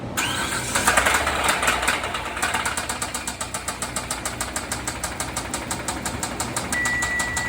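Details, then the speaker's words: 2014 Hyundai Santa Fe 3.3L V6, engine running: after a rough start it settles into a steady deep bottom-end knock, two to three per second. Rod bearing failure: 4 of 6 rods badly damaged and the crankshaft worn, so the crank was sent out for grinding. "can hear that that's the sound of a Dying horse it had a a messed up crank bearing and the crank shot was all worn out so that's the common issue with this here"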